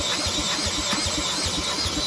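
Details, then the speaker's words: Gravely Rapid tractor cranked with a drill at about five even compression pulses a second, never catching. No spark: the brand-new plug had its electrode bent and the gap closed. "so we decided to check for spark again because it just didn't make sense that we didn't get one pop out of this thing and we took the spark plug out the brand new spark plug and the electrode was bent"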